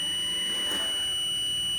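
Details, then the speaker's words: 150 W mini inverter/converter with overload problem, MOSFETs and diodes already tested fine: multimeter continuity test on the PF component gives a steady unbroken high beep, a dead short, so the part has failed and must be replaced. "आप सुन सकते हैं, इस पे पूरा beep आ रहा है, मतलब ये पीएफ।"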